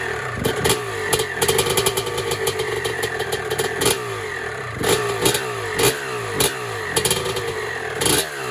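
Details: 1996 Honda CR250 two-stroke on its first start after the carburetor was rebuilt back to stock jetting (52 main jet). Crisp blips pick up cleanly and drop back to idle with a raspy exhaust edge. It is running healthy.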